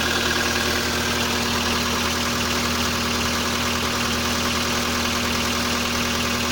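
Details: Volkswagen Polo sedan, CFNA engine, 193,500 km, cold start at −30°C checking for piston knock: light tick about three per second over a steady idle, judged to be hydraulic lifters, not pistons; cause not confirmed.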